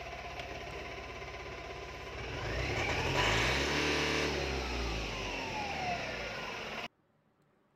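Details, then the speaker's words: Tata Intra V10 BS6 diesel with starting fault, SCR and check-engine lights, poor-grade DEF warning, after resetting via scan tool: steady diesel clatter at idle, smooth rev and return, no misses; runs normally, SCR fault light still blinking. "आप देखें, अब यह car शुरुआत हो चुकी है। ठीक है।"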